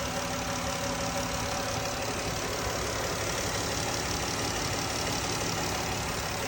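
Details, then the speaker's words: 3.6 Pentastar in Dodge Grand Caravan after replacing all 12 rocker arms and one failed lifter (was ticking): even steady idle, smooth hum, no top-end ticking; normal idle. "Let's get this all back together and fire it up and see how it sounds. No more ticky tick. Cool."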